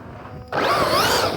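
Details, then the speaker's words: Arrma Big Rock V3 RC truck (Hobbywing 3050 KV motor, Spektrum 120 A ESC): sudden harsh buzz with wavering high whine from the cooling fan, off balance from a missing blade. "i cut it out to check i'm missing a fan blade so it's off balance that's why i'm getting that horrific buzzing"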